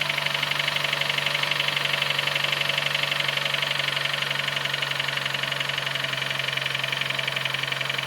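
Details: Nissan Note HR15DE: a ringing knock at about four ticks per second over a quiet idle. It appeared after cleaning the injectors and intake with carb cleaner, is sharper cold and softens when warm, and the swirl flap was checked. Cause unknown.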